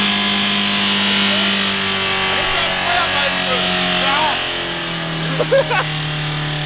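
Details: Mitsubishi Carisma diesel after the service tech accidentally overfilled it with several litres too much oil: the engine screams at a sustained high rev with little change in pitch and no throttling back, a diesel runaway on its own oil.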